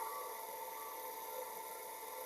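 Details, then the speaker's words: Water pump motor hums steadily with fixed tones but won't self-start, runs only when spun by hand; suspected fault between capacitor and winding. "Oke. Jadi permasalahan pompa air ini adalah dengung. Apabila dibantu dengan tangan itu dia bisa berputar."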